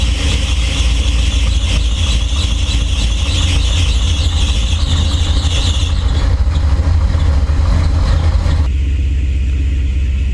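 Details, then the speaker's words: 1968 Chevrolet C20, 454 big block with short exhaust and small mufflers, first run in about two years: deep, steady, slightly uneven idle with a 28 percent O2 correction; running rich at idle. "we have a huge o2 correction right now 28 percent o2 correction that's pretty terrible let's see if it'll uh work itself out it's running that's awesome"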